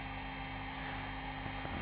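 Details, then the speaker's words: Cooling fan in a Chinese battery charger before lubrication: steady airy roar with a thin constant whistle on top, unlike a second charger running silently with its fan on. Dry, dusty fan bearing; oiling it stopped the squeal. "а этот у нас ну давайте посмотрим как он слышно как он ревет поэтому ролик будет на тему смазки этого кулера cooler от этого зарядного устройства по русски вентилятора"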